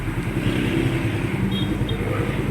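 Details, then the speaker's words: Small single-cylinder motorcycle (R150 tag) after an intake cam replacement with valve clearance set to 0.10 idles even and steady with no top-end ticking; quiet and smooth. "Mga kulaog, ayan o, perfect naman ang gawa natin. Gago! Napakatahimik."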